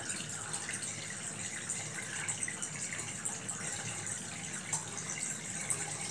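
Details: RV washing machine with spin dryer and impeller washer side, draining: steady rush of water pouring out with no straining or gurgling; the tub drains normally.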